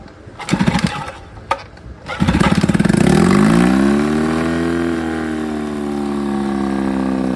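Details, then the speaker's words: 1957 Johnson 18 HP outboard on test start: after a few pulls it fires, revs up, then settles into a smooth, steady two-stroke buzz; it needs choke to stop; normal running. "not so good I came out of it down to stop but I gotta choke it to stop she's a runner buddy"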